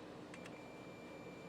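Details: Multimeter continuity check of fuses on a WPC Gilligan's Island pinball machine that won't boot, game off: short click then a quiet steady high beep that holds, showing continuity, so the fuse is good.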